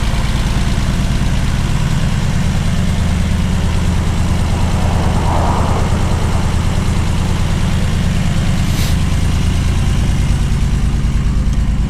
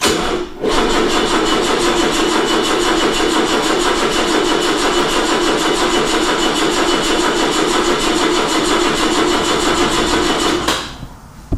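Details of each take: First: 1979 BMW 633CSi back on the road after 5 years, X-pipe near-straight exhaust: low rumbling exhaust note holding a steady beat for twelve seconds with no stumble or miss; clean normal idle. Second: 1979 BMW 633CSi, off the road about five years, battery drained by a left-on solar charger: steady fast cranking for about ten seconds without catching, then dropping off; crank no start from weak battery.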